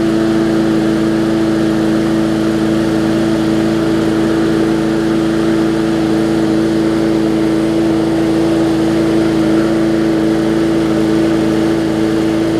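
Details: Bolens push mower with Briggs & Stratton engine, after no-start repair (bad fuel): steady even high-pitched drone, no misses or surging, constant speed; runs cleanly.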